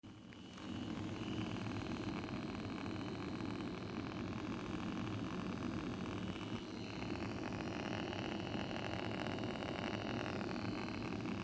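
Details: BMW 635CSi E24 at idle, issue both cold and warm: slightly uneven firing with a faint humming from the idle control valve; rough idle, owner suspects the ICV, unconfirmed.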